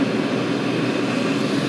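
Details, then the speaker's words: Chinese 5-7kW 12V diesel air and water heater at maximum power after 13 minutes, about 11 V, drawing nearly 5 A, water at 70 degrees: steady even roar with constant fan hum, no pulsing or misfire; running normally. "But yeah, it really does pull like nearly 5 amps at maximum power. Still, as I say, it's blowing out nice hot air."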